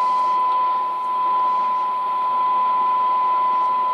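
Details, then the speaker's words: Tram D201 hand-wired tube CB radio after recapping balance modulator board, in AM receive while peaking cores: clean steady test-tone whistle over faint hiss; AM reception working properly. "and see if I have any more troubleshooting to do now so am seems really really good"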